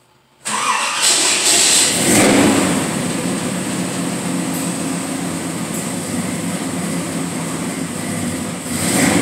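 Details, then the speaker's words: 1948 Ford Club Coupe street rod with air ride suspension, V8 startup: short high-pitched chirps from the serpentine belt, then settles into a lumpy idle. "Little bit of chirp from the serpentine belt."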